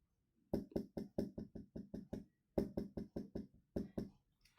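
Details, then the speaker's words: Silver Staedtler 925 2 mm lead holder: quick light clicking rattle in bursts of about a dozen ticks when shaken or writing, probably from a slightly loose end cap; rattle. "Another pet peeve was at times when I wrote with the silver one, you can hear a bit of rattling."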